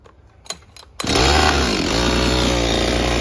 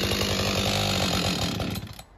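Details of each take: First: Husqvarna 562XP chainsaw with hard starting and no idle, after replacing leaking decomp valve: a couple of pull clicks, then it fires and runs steadily at wide-open throttle. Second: Husqvarna 562XP two-stroke chainsaw, hard to start and won't idle: drops off high revs, sputters unevenly and dies; air leak found at bent decompression valve and dirty fuel filter replaced, still acting up.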